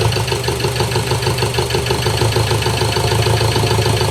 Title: Ford ranger 2.2 2018 crank no start